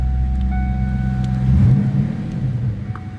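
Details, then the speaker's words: 1996 Ford Mustang GT coupe V8, five-speed manual: deep, even, throaty rumble with no knocks or misses; normal idle. "Like I said, nice sounding car. Slip around to the back seat. Hear it. Oh, throaty rumble. Sounds good."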